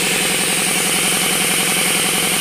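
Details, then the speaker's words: RamAir air compressor with an electric motor, tank at about 50 psi: a steady motor drone under a loud, constant hiss of air escaping around the shaft, clearly rushing out when the motor is off; air leak at regulator. "let's again it's squeezing all the air around the [Music] shaft and with it not running you could hear it really dushing out"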